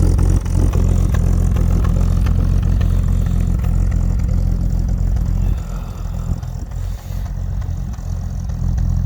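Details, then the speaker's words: Fargo/Dodge D100 cold start at night in snow after jump start: engine holds fast steady idle and never settles; throttle stuck open, idle won't come down. "a little bit of cold start in the night action here oh a little bit of picturesque my idol doesn't want to come down interesting"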